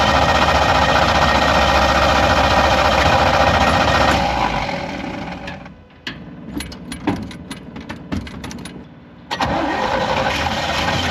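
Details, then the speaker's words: 1955 Willys Jeep with a Chevy 283 engine, cold morning start; strong running note fades into sputtering, uneven bursts for several seconds before catching again, a rough, reluctant hard start; owner thinks it needs some work. "wow so it started I would say a pretty awful start but it started I don't know probably needs a little love"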